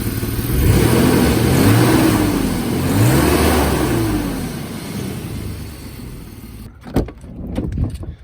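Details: 1995 BMW E34 520i Touring phase 2, six-cylinder, slightly warmed up: a loud, coarse exhaust swells on two throttle blips, then settles to a rough idle. The muffler is completely rusted through, a technical-inspection fail point.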